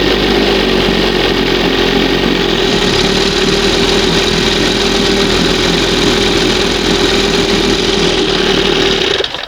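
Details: 1971 Johnson 20 HP two-stroke outboard, new pistons and rings, honed cylinders, just pull-started on second pull: crisp, steady buzzing note holding even speed, no stumbling; normal idle, running cleanly.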